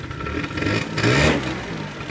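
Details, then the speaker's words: Peugeot Speedfight two-stroke scooter, back running after long work on a no-start (fuel filter): crisp buzz rises under throttle and settles back cleanly with no misfire or rattle; normal running. "well after lots of intensive labor there's bu bik and running not too bad is it"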